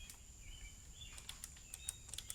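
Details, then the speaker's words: Dyson DC25 power switch flicked by hand: a few crisp, light clean clicks, the normal sound of a working switch. "that nice clicking it's doing that's a normal sound"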